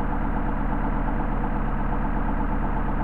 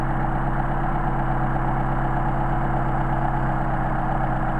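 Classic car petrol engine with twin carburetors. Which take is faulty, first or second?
second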